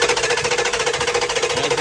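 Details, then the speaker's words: 2008 Dodge Durango 5.7 HEMI with a P0304 skip on cylinder 4, valve cover off: fast, loud, uneven valvetrain clatter while intake and exhaust valves still move; owner first wondered about a dead lifter. Cause was a failed cylinder 4 deactivation (MDS) solenoid. "intake moves, exhaust is moving, but we still have a skip in it. And now we're trying to determine whether we have a dead lifter or what."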